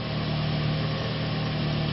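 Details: 2001 Toyota Echo 1.5 L after the engine computer ground fix: steady, even idle with a smooth low hum and no misses, knocks or surging. The check light remains on.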